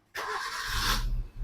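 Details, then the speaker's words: 2013 Maruti Swift Dzire, faulty box causing the crank sensor fault found: brief crank, starts at half a crank and settles into a steady idle; check engine light off. "अब यह आधे crank पर start हो रही है। मेरी check engine light भी बंद हो गई है।"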